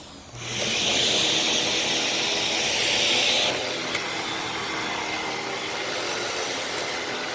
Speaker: And yeah, you probably can't hear that, but the motor is really, really whiny. Like this poor thing is just not in good shape.